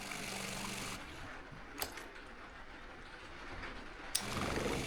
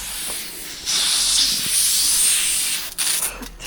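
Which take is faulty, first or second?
second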